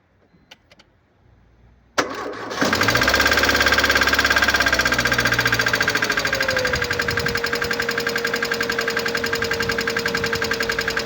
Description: In diesem Video hörst du das markante Geräusch unseres Mercedes-Benz A160 W169 aus dem Jahr 2011. Der Klang stammt von einem defekten Hydraulikzylinder.